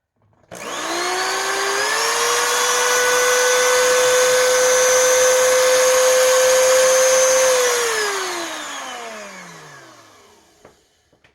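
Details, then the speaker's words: 20-year-old Oreck XL2800 vacuum motor after bearing replacement/repack and carbon brush seating with seating stone; spins to clean steady high whine at much higher rpm, coasts down smoothly, no grinding: healthy. "okay so did you hear how much higher the motor rpm went up when I got this seating stone here to do its job and to properly seat everything that motor speed shot up"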